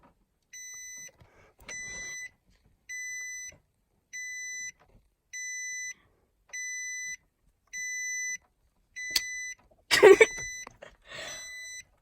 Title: Funny beeping noise on a 2017 Nissan Armada